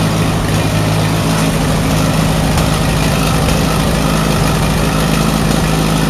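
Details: Allis Chalmers WD45 tractor engine running before a compression test, warming up; runs better with choke pulled. Loud, low idle with an uneven, lumpy beat where a pulse keeps dropping out: misfire, owner thinks cylinder 4 (end nearest radiator) not firing; cause unconfirmed.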